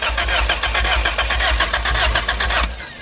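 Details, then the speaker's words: Honda EF cranking with an OBD0 PR4 ECU swapped in to rule out the original ECU: the starter churns in steady rhythmic pulses and the engine never fires. No spark on this ECU, though the injectors now pulse and fuel can be smelled. "yeah so you see we don't have spark now on this ECU"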